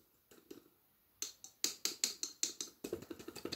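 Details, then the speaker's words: Fluorescent lamp and starter recovered from recycling bins, on test: sharp, uneven, then quickening ticks with a faint high squeal as the starter strikes repeatedly but the lamp never lights; owner suspects an end-of-life lamp with a broken electrode. "Ouais, j'entends bien la lampe, l'amorceur faire un petit bruit aigu, donc l'amorceur amorce dans le vide, parce que l'électrode, à mon avis, c'est celle-ci, est rompue."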